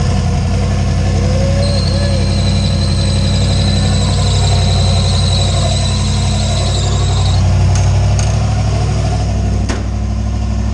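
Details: Deep, steady idle with an even low rumble and no misses, knocks or ticks from a 358W 80mm-turbo Fox Body V8 after the injector ground was connected; sounds healthy, with faint music behind it.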